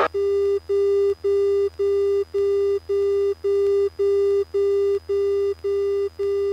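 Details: Radio in a plane with close to 80 hours flown: a steady, even mid-pitched beep, about two per second, over a low hum, never heard before; persisted after changing frequencies, engine performance normal; interference source unknown.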